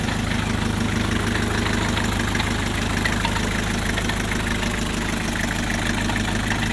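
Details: 1984 Isuzu P'up diesel idling: steady, fairly even clatter about three times a second over low rumble; source of the noise unidentified.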